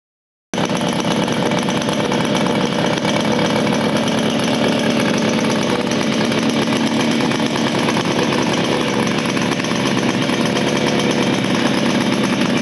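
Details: 1975 Motobécane Motoconfort 125 LT2 two-stroke, first start after restoration following engine failure in late 1990s, new crankshaft and gearbox bearings: steady quick even beat with no knocks or misses; running cleanly.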